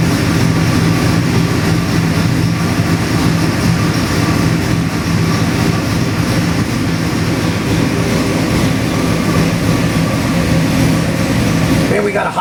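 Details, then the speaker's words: Chrysler 440 big-block EFI multi-port injected crate engine on dyno, forged crank, H-beam rods, forged pistons, mechanical roller cam, high pressure oil pump, 85 psi cold: deep steady V8 roar, even and smooth, no knocks or misses, normal. "We got this Chrysler 440 EFI engine here on the dyno. It runs absolutely spectacular."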